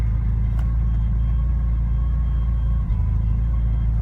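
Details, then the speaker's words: Porsche 944 at idle: steady low rumble with a faint constant thin whine above it, a new whine never there before, alongside the engine jumping and running unevenly; source not yet known. "There's a whining that I can tell you was never there before."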